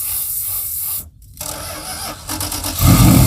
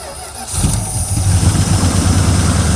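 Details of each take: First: Circa-1975 Dodge pickup 360 V8, long-abandoned: steady starter cranking about three and a half beats a second with no firing. The mechanical fuel pump isn't picking up or squirting fuel, judged no good. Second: Circa-1975 Dodge pickup 360 small-block V8 revived after years sitting outside: quick crank, then it catches and settles into a strong, even low rumble with no misses or knocks. It runs great.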